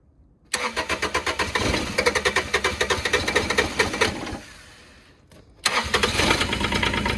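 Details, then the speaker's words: Develon DX10/E10 mini digger diesel, long-sitting, started cold without glow-plug heat: long uneven cranking that coughs, nearly catches, dies, then fires and clatters on; hard cold start. "so this probably ain't going to turn over but it won't start very well cuz it's not got any heat"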